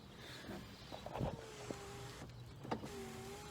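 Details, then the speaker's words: 1999 BMW 328i: short electric whirs of a power window motor cycling down and up with a soft clunk at each stop, working once the key is in the right position; normal power window operation. "do actually work uh this one is stuck this one cycles down and up and this one came off track a little bit so i'm not gonna put it down too far"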